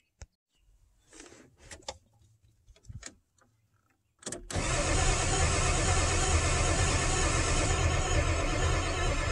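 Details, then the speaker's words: 1997 Ford F350 7.3 Power Stroke diesel, ICP sensor plugged back in: clicks, then steady cranking about three beats a second that never catches. Injection control pressure is fluctuating; it should be 450-500 psi cranking. "H still nothing okay so it looks like the uh injector control pressure um I don't know why it's fluctuating like that"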